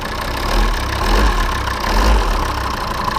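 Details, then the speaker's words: Volvo P3-platform diesel (XC70/XC60/S60/S80) idling with a heavy deep thump about once a second near the injection pump; pinching the EGR flap control vacuum hose stops it, so the vacuum pump check valve membrane is failed. "звук появился пережали звук пропал появился пережали звук пропал"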